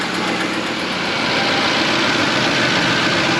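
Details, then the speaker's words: 2016 Chevrolet Tahoe 2WD, 5.3L, about 164,155 miles, cold start after two days parked, used Corsa exhaust fitted: raspy, hissy puffing over cold idle, exhaust leak still present; knocking gone, earlier cold-start rattle seemingly gone but uncertain. "now well that exhaust leak is still here I don't hear the knocking not so certain about the uh rattle noise just"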